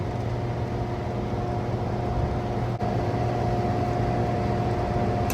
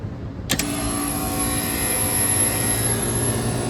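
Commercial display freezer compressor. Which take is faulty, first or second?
first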